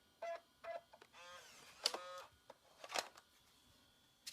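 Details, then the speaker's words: 1995 Macintosh PowerBook 5300c floppy drive: a few short clicks and a quick motor whir as the disk pushes out cleanly; normal floppy eject. "The eject mechanism works great."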